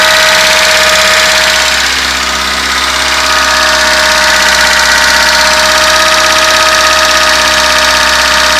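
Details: 1976 VAZ 2106 Zhiguli, engine after a full rebuild with all parts repaired or replaced: steady idle with a faint even tapping at about three per second, heard best when standing away from the car; knock source unclear.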